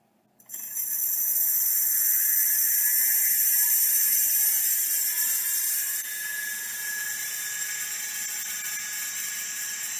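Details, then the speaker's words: Opened Miniscribe hard drive, after adjusting track zero and moving the heads to the inside track; still stiff. A harsh high hissing scrape over a thin spin-up whine, with seek ticks about four a second, from a massive head crash; it spins and seeks but may not initialize. "anyways you can see the drive is spinning and seeking now it's probably not going to initialize all the way because this is still rather stiff and because obviously massive head crash but that won't stop it from starting necessa"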